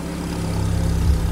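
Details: Audi S3 8P TFSI after cam timing chain replacement and reconnected vacuum lines, restarted after a rough first attempt: deep, even idle with a steady low rumble and no ticking, knocking or hunting; normal idle.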